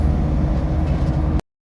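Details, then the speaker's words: 2001–2006 Dodge/Mercedes-Benz Sprinter (T1N) diesel with code Y93 fuel valve/regulator no-start; it started and idles with a steady, even, heavy low rumble, no knocks or misses: a normal healthy diesel idle. "She purrs when she goes. That's the sound of a heavy healthy diesel."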